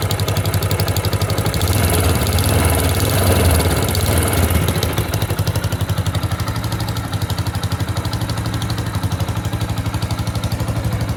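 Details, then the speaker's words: Yamaha YBR125 single-cylinder bike idling on a cold day, sharp chuffing puff each firing; extra noise from exhaust silencer joint at the cylinder head, gas leaking there, hot gas pressure felt by hand; exhaust seal needs replacement. "इस sound से clearly पता चल रहा है कि जो exhaust silencer है जो अटैच है हेड वाली साइड से, वहाँ से एक्स्ट्रा शोर आ रहा है। इसका मतलब ये है कि यहाँ से कोई गैस लीक हो रही है।"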